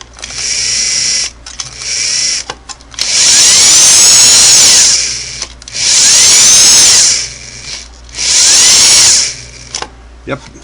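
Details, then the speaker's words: Vintage Singer sewing machine after motor belt replacement, tension test at high rpm: short bursts of smooth, steady-pitch motor whir, no slip squeal or chatter; belt tension and motor fine. "I want to hear it run and and I want to hear it smooth no stress and that I can run the motor at a high rpm that sounds good"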